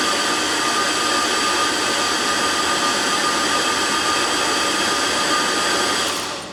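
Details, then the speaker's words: LS-swapped GMC Jimmy cranked on the starter with spark plugs out to build oil pressure, injectors still connected and flooding: fast, even, high-pitched whir with no compression drag; normal cranking with plugs out. "you can hear how easy it's spinning over with the plugs out cranking RPM's high and it makes it oil pressure a lot faster that way"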